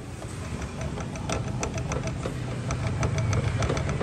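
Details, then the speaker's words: Honda SH150i 2021 scooter, long use: low hum building as the rear wheel spins, with uneven clicks about three a second from worn final drive gears with play and worn bearings; fixed by replacing bearings and reworking the shaft. "sau khi cái láp v cái th thá nó nó bị chêu cục cọc với hú á là do những cái nhông này là đi lâu ngày nó sẽ có cái độ rơ nhất định nha anh em"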